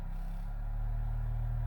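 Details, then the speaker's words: Infinity SM62 bookshelf speaker woofer after rotted-surround replacement, driven by a Leader LAG120B signal generator at around 40 Hz: a clean, steady low bass tone with no buzzing, rattling or scraping. Normal low-frequency playback. "40. Yeah, I can feel 40. Things are starting to vibrate."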